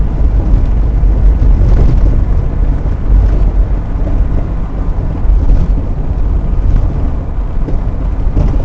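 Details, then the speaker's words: 2000 Toyota Sienna minivan on road test after rear shock absorber replacement: steady low road rumble inside, with spring rattling and third-seat shaking gone: quiet rear suspension. "hey problem solved not just only these vibrations which is really annoying but also this third seat roll really crazy shaking when you're driv in the highway"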